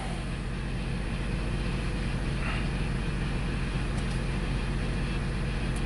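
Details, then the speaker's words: 2002 Ford Explorer with a crank-but-no-start complaint, now running rough and smoking with a very bad misfire. A deep drone with uneven, stumbling thumps; running lean on bank one and a fuel pressure problem is suspected. "see see if I got a misfire right now this is running rough guys and it's smoking"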